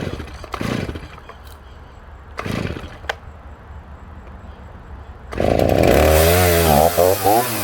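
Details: Stihl MS310 chainsaw, first start after full tune-up with new clutch, spur sprocket, needle cage bearing, fuel line, fuel filter, spark plug and cleaned air filter: fires and settles into a smooth clean two-stroke run with crisp throttle blips; healthy.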